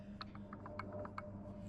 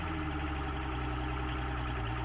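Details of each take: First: Mercury Optimax 150 outboard air compressor, turned slowly by hand: soft single clicks from free play before the piston moves, seriously worn crank pin and rod bearing; no noise was audible while running, heard only up close. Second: Mercury OptiMax 150 outboard after its air compressor was replaced, running on the boat during a post-repair check: an even, steady low drone with no misses or knocks. Pressures read about 95–96 psi and 110 psi, a stable 15 psi difference; it runs normally.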